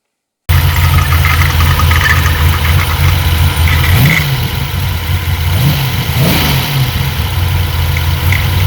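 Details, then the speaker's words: 400 CID small-block Chevy V8 in an S10 after a short drive: rumbling idle with faint, intermittent high aluminium-like squeaks from behind the timing cover; Cloyes quick-button timing cover's cam button failed, first suspected a lifter or flexplate. "so after that i was like man it's coming directly from the timing cover it sounds just like that aluminum squeak at first when i was going coming back i thought it might have been a lifter but lifters aren't intermittent like that"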